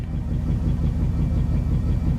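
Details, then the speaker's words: Eight-cylinder engine after a spark plug change, check engine light still on: steady low idle with an uneven, lumpy pulse that still shakes, smoothing when revved; an exhaust leak is also audible. Cause of the roughness unknown. "But it sounds a lot better. It still shakes quite"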